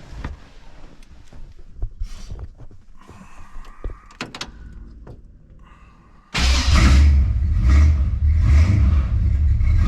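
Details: Oldsmobile with TH350 automatic, after replacing the broken plastic governor gear and filter, running on stands; engine fires into a steady even rumble with drivetrain turning smoothly and speedometer working; transmission fixed.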